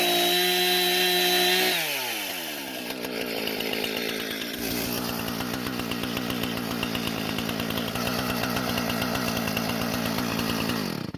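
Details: Husqvarna professional-grade chainsaw after fuel-leak repair and a modified air filter refit, during test cuts: sharp two-stroke buzz climbs cleanly to high revs and holds steady without bogging; runs great, no carb adjustment needed.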